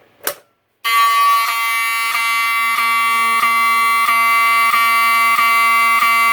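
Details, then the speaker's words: Wheelock 7002T-24 horn on a panel supplying filtered DC, triggered by Fire-Lite BG-12 pull station: loud steady buzzing tone pulsing about every two-thirds second, clean with no scratchiness, working normally. "if this thing was operating off of full wave rectified current it would make a really scratchy sound but the way it sounds it sounds normal and it sounds really clean so that's good"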